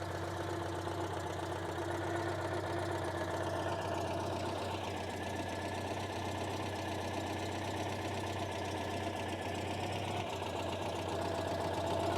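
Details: 1976 Citroen 2CV6 Club, carbureted 29 hp two-cylinder boxer with a just-rebuilt carb: even, steady idle with soft regular two-cylinder pulse and no stray knocks; it just purrs, healthy.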